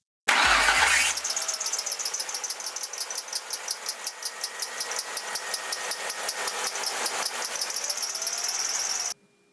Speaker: This is one of the most common sounds out there. It's that squeaking or whistling noise. You'll usually hear it in the morning when the engine is cold, or when you suddenly step on the gas, or when you turn on the air conditioner.